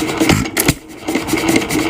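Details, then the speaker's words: 1926 Nelson Bros. hit-and-miss engine running, fuel on mixer being turned down: uneven soft puffs and gulps, weak irregular firing instead of crisp bangs, sucking twice per try; mixture too lean. "there's still still one gulp there it's getting weaker and weaker as the fuel there was two tries it sucked twice there sucked twice there we know the fuel's not quite right it's gotten what we would call too lean"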